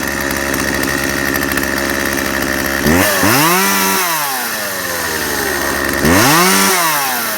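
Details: Chainsaw after replacing fuel lines and primer bulb and cleaning: two-stroke burbles at a steady idle, then snaps up to a clean high rev and drops back twice, crisp and healthy; normal running.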